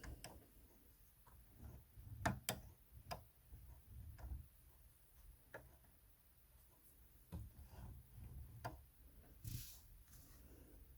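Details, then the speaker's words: Brother NX400 sewing machine: faint, uneven sharp ticks over a quiet low hum as the needle strikes the rotary hook. It earlier hit the plate and now enters the back hole instead of the front; the needle needs bringing forward. Cause not confirmed. "nx400 sewing machine and one of the problems it has is that it's hitting this rotary thingamabob it was hitting the plate but I'm not sure what happened it's now hitting this rotary thing"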